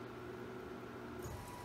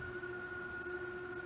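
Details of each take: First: Bridgeport R2E3 Boss 8 CNC retrofit, table servo at its top jog speed of 60 inches per minute: a quiet, even hum with a faint steady whine holding one pitch, no grinding or knocking. It runs without problem and the drive stays cool; normal. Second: Bridgeport R2E3 Boss 8 CNC retrofit, table moving at double speed in the positive X direction: a thin, steady high squeal over a quiet motor hum. The owner suspects the motor bearing needs replacing.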